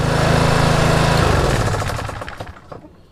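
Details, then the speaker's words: Toro TimeMaster mower with newly fitted aftermarket kill switch: steady putter cuts off when the switch is hit and winds down smoothly to silence within two seconds; normal shutdown, kill switch working. "and once the engine's done spinning, I can just have it back ready to go again."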